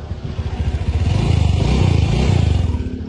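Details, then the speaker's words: Motorcycle that had overheating problems and a clogged radiator, after repair and a 20 km test ride, engine staying cool and stable hot or cold, starts easily: even quick exhaust pulses rising smoothly with revs, no rattles or misses; normal running. "Mau posisi dingin, mau posisi panas, itu mesinnya tetap adem, tetap stabil."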